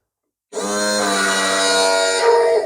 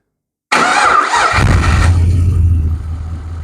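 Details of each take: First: LS1 engine with side-draft/cross-ram throttle-body injection and new fuel rails, retuned stock PCM, first start attempt: steady whirring crank about two seconds with no firing; no fuel pressure, tank empty. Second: LS1 V8 with side-draft/cross-ram injection, new Aeroflow fuel rails and retuned stock LS1 PCM, first start after priming empty rails: starter whirs about a second, fires straight away, flares, settles to smooth steady idle.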